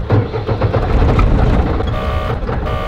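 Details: Diesel camper van after running out of fuel on the Autobahn and refilling: rough cranking with an unfamiliar noise, then catches and settles into a deep, uneven diesel rumble once fuel reached the lines; engine starts and runs.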